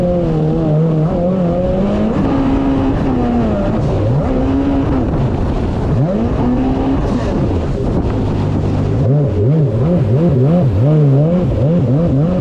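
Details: 2019 Yamaha GP1800R WaveRunner, supercharged 1.8L, test run on the water after supercharger clutch replacement: pitch rises and falls smoothly with throttle in a steady drone, no knocks, rattles or slipping; running normally.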